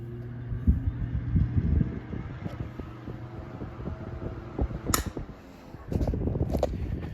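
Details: 1950s Westinghouse 10LA4 LivelyAire desk fan with plastic blades, restarted from a stop: the motor hums up and settles into a steady low drone with a few light ticks. The fan starts and runs normally.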